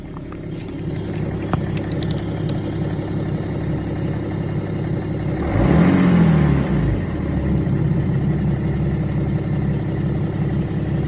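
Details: BMW E90 330d 231hp diesel, warm engine only: a faint repeating knock under the idle clatter that disappears above 1000 rpm, as a quick blip shows, and returns 5-6 seconds after dropping back to idle; engine knock at warm idle.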